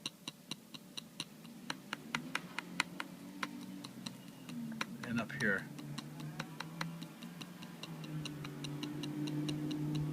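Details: New MacBook Air (2013) trackpad: sharp tinny rattling ticks when pressed on the left side and back, quiet in the center; owner suspects a loose gap between glass and steel.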